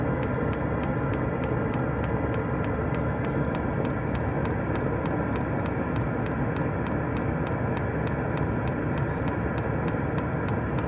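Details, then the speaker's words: Diesel heater in a van, being refitted to draw from the van's own diesel tank instead of its supplied tank: dosing pump ticks sharply about three a second over a steady fan rush, no fuel visible in the line, and the heater shuts itself off; owner suspects fuel starvation and plans to prime it. "Fuel there or not? No, there's no fuel there. I think it's turning itself off because it's got no fuel."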